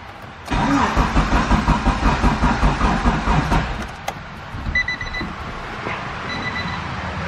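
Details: EF Honda Civic hatch with built turbo B16 engine, not started in a long while, distributor previously borrowed for an Integra: steady rapid starter churning about three seconds with no catch; cranks but won't fire.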